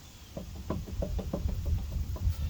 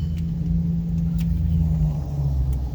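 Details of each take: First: 2004 GMC Yukon XL 2WD: quick, uneven knocking and rattling over a low rumble from a worn, loose front wheel bearing/hub assembly that needs replacing. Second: 2004 GMC Yukon XL 2WD after replacing a bad wheel bearing with a new Precision 515054 hub assembly: the hub turns with a smooth, steady low hum and no grinding or rumble with rotation; healthy bearing.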